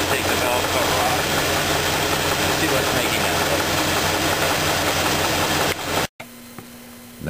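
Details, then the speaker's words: Engine idling with a sharp regular knock of three to four per second that stops when the cylinder two spark plug wire is pulled; the cause was a spun rod bearing on cylinder two with a rough crankshaft. "we determined that the knocking noise is coming on number two cylinder"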